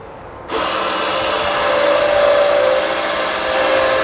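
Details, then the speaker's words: Solera power awning on Cougar 5th wheel that wouldn't retract, wiring tested: loud, steady, drill-like motor drone at one coarse pitch, struggling and moving much slower; failing awning motor, replaced with Lippert 266149. "you can hear the motors really struggling and it's moving much slower"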